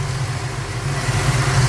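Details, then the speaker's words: Ford Falcon 302 small-block V8, carburettor idle mixture screws turned a quarter turn clockwise on each corner to lean it: steady low burble smoothing out as rpm rises; over-rich idle mixture being leaned, vacuum steadier. "a turn clockwise which means it's going to be little bit less fuel on each corner of the fuel delivery on the car be so let's do that we will hear the RPMs increase"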